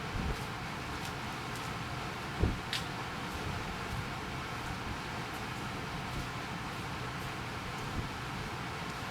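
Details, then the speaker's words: Hopsco ODF1500 outdoor wood furnace squirrel-cage blower fan, switched on manually, drawing 320 watts and moving 1500 CFM. Steady, even airy rush with a low hum, no knocks or scraping; normal blower fan operation. "320 watts is what that fan, it's a squirrel cage fan, 1500 cubic foot per minute. That's what that unit is putting out right now."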